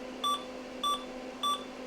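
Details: PCs Limited (Dell) 286 power-on with tantalum-cap cards removed after overcurrent issue: three short clean high beeps about 0.6 s apart over faint fan hum, no clicking; normal POST.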